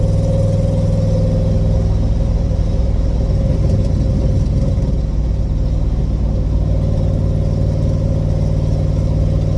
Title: I really should fix that exhaust leak